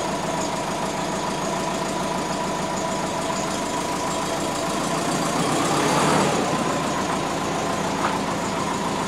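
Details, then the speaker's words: Twin-turbo (GT35 & TD05) Subaru Forester, first move since rebuild and new ECU, reversing out; engine runs lumpy and uneven with irregular pulse and brief surge; owner unsure if cold transmission; 86°C, AFR target 14.7, possible vacuum leak suspected. "done it's out it's not happy though i don't know if it's just because the transmission is cold"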